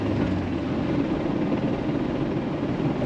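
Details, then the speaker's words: Jeep TJ back on the road after cooling-system work, no overheating: a steady rolling drone with a gear hum underneath, audible even in neutral; the axle gears are worn out and the entire axle needs a rebuild. "yeah, you can definitely hear like a like I said, guys, you gotta rebuild the entire axle at this point. The axle's pretty much cooked."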